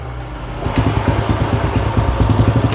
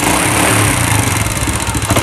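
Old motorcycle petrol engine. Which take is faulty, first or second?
second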